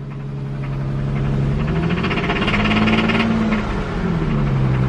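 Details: Infiniti engine driven with zero oil: heavy rapid metallic knocking and rattle at the exhaust that quickens as revs climb and settles as they drop; rod knock, blown rod, engine a write-off.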